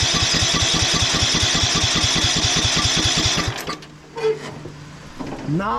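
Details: 1991 Craftsman LT4000 barn-find lawn tractor on battery pack, choke tried then off, carb not leaking: steady starter chugging about 2.5 turns a second for three seconds without firing; good compression, weak spark suspected.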